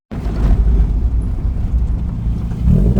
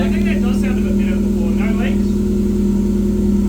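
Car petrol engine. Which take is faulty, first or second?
first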